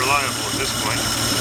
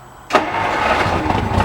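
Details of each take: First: 1950 Dodge cold start, accelerator pumped about ten times, choke open, no throttle: catches and settles into a steady, even idle with a smooth running note. The start is repeatable. Normal cold start. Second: 1950 Dodge, first start in 40 years, timing bumped a couple of degrees, weak battery, engine full of old oil: turns over, fires unevenly and runs a few ragged seconds before fading out. Owner says it can't get enough speed to keep running. Catches then dies.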